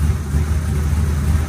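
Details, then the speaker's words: 1970 Chevy Nova with a GM 572ci big block and Tremec TKX 5-speed, just fired after a carburetor rework, with timing set to 38° BTDC. Deep, lumpy, steady loping idle with no knocks or misses; the engine sounds healthy. "the big block fired right up and I picked up the timing light and adjusted the ignition timing to 38° before top dead center sounds pretty"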